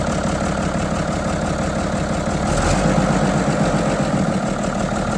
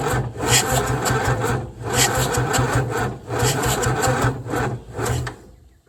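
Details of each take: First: 1975 White 2-150 tractor diesel running for the first time in 19 years, with a secondhand exhaust and muffler and the intake cover off. Steady idle clatter with open intake hiss, running evenly and healthy. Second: 1975 White 2-150 tractor unused for 19 years, cranked with the manifold off, starter-motor joints getting warm: laboured, uneven churning with slow, dragging compression beats about two a second, not catching; slow cranking.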